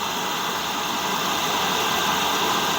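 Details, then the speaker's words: Amazon 8kW Chinese diesel heater installed in a garage: even, steady roar of burner and fan with no surging or dropouts. Normal full-output running; the unit is operating well. "So very successful unit, seems to be operating very well."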